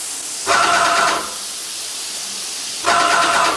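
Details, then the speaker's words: Graco ProStep airless paint sprayer during cleanout, spraying remaining paint out until water comes through: two spaced hissing rattle bursts as the pump strokes up and down evenly; normal pump operation. "So that noise you hear is do do do do do. That's the pump moving up and down."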